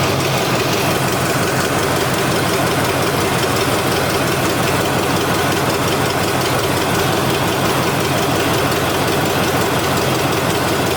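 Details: Neglected Chevy C10 with a once-seized 5.7 L 350 V8, first run: fast, throaty idle that never drops; won't idle down, with a sticking throttle, suspected vacuum leak and an exhaust leak.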